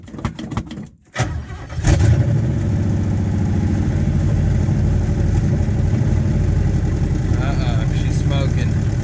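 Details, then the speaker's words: 1972 Nova 307 with TH350, first start after sitting about 35 years, with sanded points and a carburetor kit; catches and runs lumpy with a deep rumble and a skip, possibly on only six cylinders; owner suspects exhaust leaks and possibly a flat cam lobe. "tons of exhaust leaks i think sounds like a bulldozer or tractor oh she's chicky chicky chicky too you might have a flat lobe on a cam"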